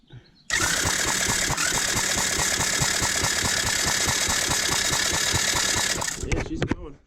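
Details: Cheap TaoTao 110cc mini quad with a used spark plug fitted, spark confirmed, starter Bendix sounding poor: even cranking pulses, about three or four a second, never catching; turns over but won't start.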